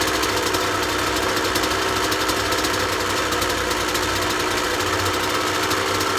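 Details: 2003 Kawasaki KX125 two-stroke used dirt bike, started without choke: crisp quick steady idle buzz with no top-end knock, but sitting a bit high. The prospective buyer suggests a crankshaft seal at worst, unconfirmed.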